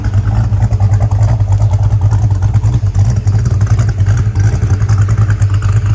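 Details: 1966 Pontiac GTO convertible V8 revving after a white-smoke repair (water was getting into a cylinder). It revs up and settles evenly with no misfire or stumble. Slight blue smoke is contamination; no white smoke. Normal revving.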